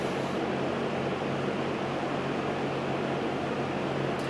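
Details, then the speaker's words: 1971 Lakewood/Country Aire P-23 3-speed box fan with three-blade set, on medium speed: smooth even whoosh with faint steady low hum, no ticks, rattles or wobble; normal fan operation. "and just how this fan sounds with these the three blade set"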